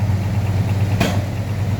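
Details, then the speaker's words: 1981 Chevrolet El Camino V8 with a computer-controlled Quadrajet, 5 gallons of fresh gas added to roughly 20-year-old fuel: lumpy, slightly fast idle with occasional sharp pops. Oil pressure is a little over 30 psi. "so let it run for a minute see if it Smooths out any cuz it's popping a little"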